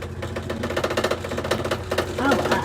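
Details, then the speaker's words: Brand-new Comfee 0.9 cu.ft portable washer (CLV09N1AMG) on rinse: runs fine, then a rapid regular clattering thump, several beats a second; afterwards it stops at 10 minutes asking for water. Abnormal rinse noise, cause unknown; unit refunded. "this is our rinse it's going well it's going well and [Music] it's gonna start making a noise that noise"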